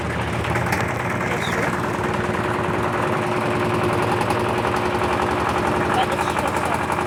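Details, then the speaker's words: LT13B washing machine in a suspension test, spin cycle: loud, uneven thumps and rattles over the spin drone; the owner calls the suspension noise very annoying; tub banging its suspension. "É muito chato esse barulho da suspensão. Muito chato."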